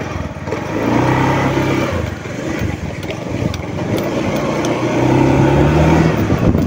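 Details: Honda Beat FI scooter, owner's recording at home: idle surges and sags unevenly with stumbling and hesitation, hard starting and stalling; fuel pump pressure measured at only 30–35 PSI, abnormal, weak pump suspected.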